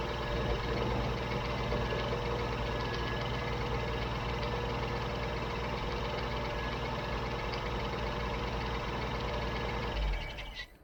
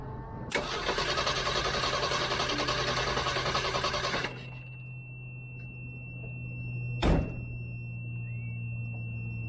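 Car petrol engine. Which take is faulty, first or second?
second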